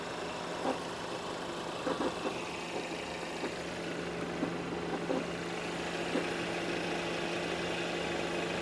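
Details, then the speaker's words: Auction car (which one, Mercedes E300 4matic or BMW 750iL, is unclear) idling: steady hum with faint, irregular taps about once a second from the back of the engine. Abnormal knock; inspector suspects the turbo. "What's hitting? That's from the back of the engine. What is that? Oh, that's so sad. What is this? I don't know. Something is not right in that engine right there."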